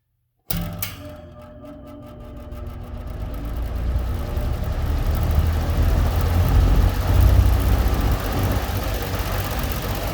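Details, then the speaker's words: Vintage Eskimo three-bladed box fan, possibly model 201370, switched on with the recording right near the motor: low even hum builds steadily to a smooth high-speed run; healthy startup. "i'm gonna start it up from here like right near the motor go ahead and turn it on again on"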